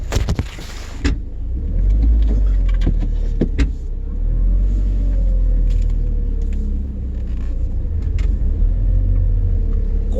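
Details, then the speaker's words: 2001 Audi TT quattro (Haldex), 104,000 miles, after a Haldex oil and filter change, driven for two minutes: slow tight turns now give only a low, smooth rumble. The previous grinding when turning sharply at low speed is gone. "silent just turning turning a [ __ ] car like it's supposed to sound all right going forward our first year turning right nothing okay I'm a happy guy"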